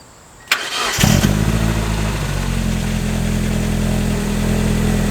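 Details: Mazda Miata first start after installing a DW100 fuel pump (stalled while driving, failed pump suspected), primed several times; quick crank catching within about half a second into a steady, even idle with no misses; normal start and idle.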